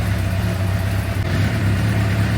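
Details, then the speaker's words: 2006 Suzuki GSX-R750, over 5,000 km since last service, warming up before oil change, oil at 48 °C heading to 60: smooth, even idle with steady low beat, no ticking or knocking; engine running healthy. "But yeah, as you can hear, the engine is running pretty good. No ticking nois"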